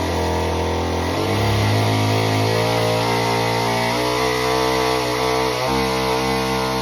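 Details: Homelite Super Mini chainsaw that previously wouldn't run, rev or idle, after repair: a crisp buzz dips slightly into the wood and recovers cleanly. It runs healthy and well tuned through a big log.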